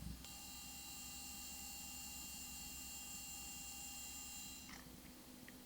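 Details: Toshiba Libretto 100CT, Pentium MMX 166MHz, Windows 95, at power-up with microphone held close: steady high-pitched whine with fixed tones, cutting off near five seconds; worn, failing hard drive.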